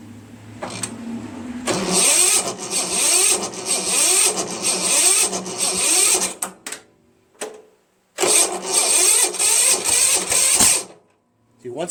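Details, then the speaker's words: Tecumseh 13.5 engine with hard starting: slow, labored cranking in bursts that bogs and never catches, because the starter gear hangs up on the flywheel and keeps the engine from spinning faster. "I've had this uh this thing with a Tecumseh 13.5 engine in it and it has trouble starting because the starter hangs up on the flywheel all the time"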